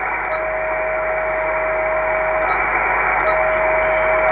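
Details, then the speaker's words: Kenwood TS-450S transceiver, receiver checked for whistles reported by owner, at 3.60689 MHz; steady pure whistle about 600 Hz over band hiss, drops out briefly and returns; internal birdie in the receiver. "now let's check whether we have some burds the first should be on 3,60 689 there is one I'm not sure whether you can hear it"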